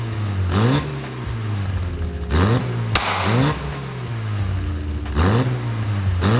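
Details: Mazda MX5 build after replacing the gappy old exhaust with a new one: quick rev blips rise cleanly in pitch and drop back to a steady idle, no rattles or blowing; engine and exhaust sound healthy.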